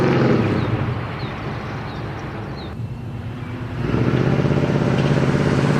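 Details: Chevy Nova, near-stock 350 small-block with Vortec heads, Comp 280 Magnum cam (.230 @.050, .480 lift), LS6 springs: drive-by with deep choppy burble fading away then swelling back strong and even; healthy cammed V8.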